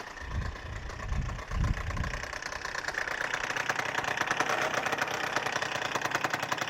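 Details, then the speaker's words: Freshly rebuilt Suzuki Address 110 scooter (Japanese parts), being run in, developed a rattle on a hot-day ride; it starts first pull, smokes from generous oil, and idles with a fast metallic knock from the magneto side. "И вот где-то со стороны непосредственно магнита вот такой у нас звук. Вот, ну, есть вот такой вот неприятный звук."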